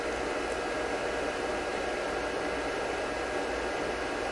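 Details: Electronic load drawing about 10 A (around 330 W) from a UNI-T UDP3305S linear power supply: loud, steady rushing hiss with a faint whistle, the electronic load's cooling fan running flat out; the supply itself is inaudible; nothing abnormal.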